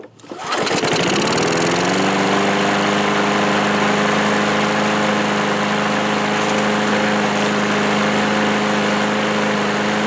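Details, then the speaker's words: Old, well-worn 1986 Murray lawnmower, after a shot of starting fluid into the carburetor on full choke: catches within a second, then a steady even drone with constant pitch, no misses or knocks; runs pretty good. "nice so it actually runs pretty good surprisingly"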